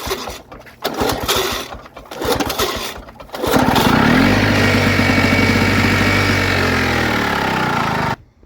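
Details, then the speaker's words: 1979 Lawn-Boy two-stroke mower, sitting 20+ years, gas sprayed into carburetor: a few pull-start strokes, then it catches and buzzes evenly about four seconds before dying; compression and spark good, carburetor needs cleaning. "that's a good sign that means that we have good compression and Spark"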